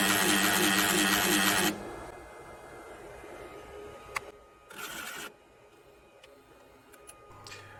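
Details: Idle printer makes a loud, rhythmic, tuneful warbling for under two seconds, then goes quiet; unusual musical mechanical noise, before any teardown, cause not yet found.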